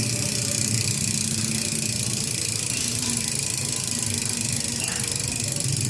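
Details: Ragusa XM500 rear hub while coasting: a fast, even buzz of tiny pawl clicks, the normal loud freehub ratchet.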